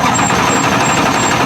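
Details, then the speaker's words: Race car with slipping clutch, cranking with clutch pedal in, struggling to start: harsh, dense metallic grinding with a thin high ring; throw-out bearing failed, not spinning while the diaphragm fingers spin against it, creating resistance and heat. "The throw-out bearing is gone. And the fingers are spinning against it and the bearing's not spinning. And that's where you're getting all that resistance from."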